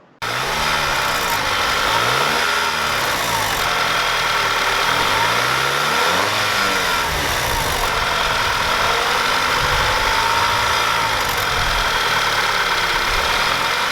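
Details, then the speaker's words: Audi TT 2.0 TFSI (EA888) before fix: revs rise and fall with light metallic chatter as revs drop. Turbo wastegate rattle, later fitted with a wastegate clip. "So if you remember in a previous video, he had that rattle noise, and here's a clip of that now."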